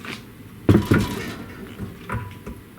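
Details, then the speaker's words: 1937 Briggs and Stratton Model A engine, long stored and not started: a couple of dull knocks as the flywheel is rocked by hand, with free play before each; play in the crankshaft, possibly a worn crank or bearing. "hear that there is play in the um there's definitely play in the in the crank so um don't know how bad that's gonna i mean that's that's definitely not something i wanna i'm not gonna go start it up"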